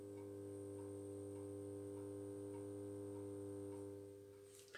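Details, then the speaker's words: Holophane VM1 light fitting with a magnetic ballast, cleaned and working, heard from about a metre away: steady low mains hum with a soft buzz, no rattle or crackle, a healthy ballast purr. "un joli petit ronronnement je l'entends jusqu'à ici alors que je suis à un mètre de la vm donc c'est un joli petit monde"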